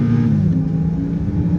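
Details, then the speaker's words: Honda Accord Euro being restored, driving on the road: smooth, even engine note climbing steadily under throttle, no knocks or rattles; the engine pulls strongly. A wheel bearing on this car is shot. "All the electrics work, including the air conditioning, which is lovely on a day like today. The engine pulls nice and strong."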